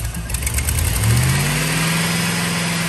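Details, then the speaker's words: 2001 Chevy Silverado 1500 5.3L V8, lean codes on both banks and multiple misfires; brief rev then rough uneven idle, dies in gear; new plugs and wires didn't help; cause was a cracked EGR tube. "m, it almost seems worse of a miss and it's rougher, and it'll die in gear and everything when it's up to temp."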